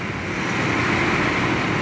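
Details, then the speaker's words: 1977 Ford Camper Special V8 revived after sitting more than two years, warming toward operating temperature: smooth, even idle with a steady exhaust rumble and no ticks or knocks; oil pressure good; running healthy. "there's the exhaust idle and it's burning my nose real bad but sounds real good listen heck yeah"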